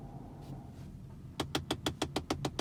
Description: Tesla Model S Ticking Noise behind glove box